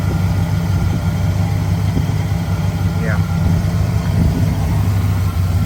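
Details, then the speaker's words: 1970 Pontiac Grand Prix Model J, 400 V8, Turbo 400 transmission, just started: deep, even idle with a steady low rumble, no knocks or misses; runs healthy. "Yeah, there we go. Got a nice sound."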